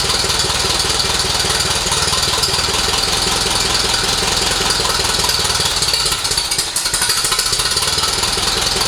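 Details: Restored 1948 Silver King tractor after engine reassembly and radiator repairs: fast even chuffing about four beats a second with a brief stumble, possibly running out of fuel; engine runs healthy.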